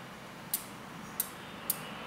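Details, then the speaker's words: Bicycle wheel truing after removing the biggest low: three sharp light ticks about half a second apart in a quiet room as remaining high spots on the spinning rim brush the gauge. Wheel still out of true. "okay and what's actually happening now is because we took out the big the big big run out on the bottom from uh from from here there's actually a few high spots"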